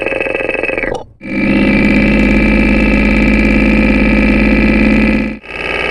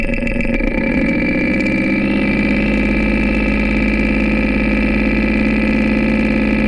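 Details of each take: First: Porsche 944 at idle after an oil and filter change, heard close up across the camshaft housing: steady, even lifter ticking on all valves, with lifter number two now less distinct. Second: Porsche 944 at idle, recorded close to the camshaft housing: fast, light lifter clatter that has grown over a couple hundred miles, with lifter number two ticking louder. Owner suspects a partially clogged lifter, noting oil sludge found earlier, and plans a cleaning treatment.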